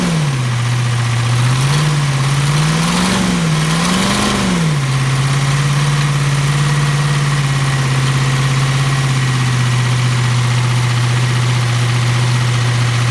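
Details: First start of a 7.3 IDI diesel after a complete top-end rebuild, after 11 years of sitting. Started on ether with fuel from a jerry can. A few revs, then a steady even idle with no knocks or stumbles: running healthy.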